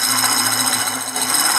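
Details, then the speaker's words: Manual round-blade fabric cutting machine: steady high whirring hiss with constant scraping over the motor hum, because the sharpener stone stays pressed against the blade; the noise worsens as the machine ages and can be reduced by adjusting the sharpener. "ele fica encostado por isso que dá esse barulho estranho que às vezes perturba quanto mais velha a máquina vai ficando isso vai perturbando mais ainda"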